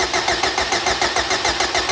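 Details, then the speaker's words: Boosted K20-swapped Honda Civic first start on booster pack, fuel pressure about 40–42 psi: starter cranks evenly at roughly seven pulses a second with no catch or combustion; cranks but won't start, something missing. "it doesn't sound very combustion we're missing something"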